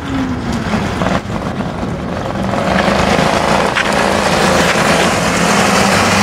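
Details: Homemade motorbike, 120cc Honda GX engine with GTC TC2 CVT, lower-restriction exhaust, first drive after fitting remotely adjustable main jet: small rises in revs under load, dull rough uneven note, no crisp firing; running rich.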